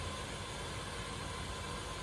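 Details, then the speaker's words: 1931/1932 Viking model B twin walk-behind garden tractor being revived: steady, even hiss of air escaping out the exhaust while the intake valves are also suspected, indicating a leaking exhaust valve. "oh that's coming out the exhaust well there's another clue the exhaust valves leaking too"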